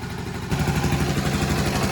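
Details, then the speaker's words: Restored 1984 Honda ATC110 three-wheeler with rebuilt top end and carburetor, on restart the single catches at once and settles into a steady, even putter with no knocks or misses: healthy idle. "What's that? No valve check. No knocking."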